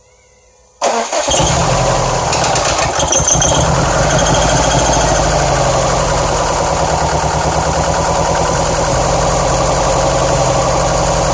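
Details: 2007 Subaru STI with misfire codes on cylinders 1 and 3, bogging on acceleration, loud lifter knock at low rpm: uneven, lumpy idle with irregular beat and ticking; rough idle, cause unconfirmed.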